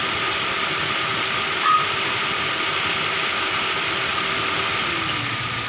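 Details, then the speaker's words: 2017 Toyota Avanza with weak A/C cooling, low side about 35 psi and high side about 160: compressor clutch clicks on, then cuts out within seconds while idling; compressor short cycling. "patay agad start lang natin lit siya Mamatay agad ito"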